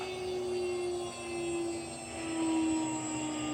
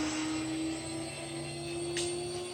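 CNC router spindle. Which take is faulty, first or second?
first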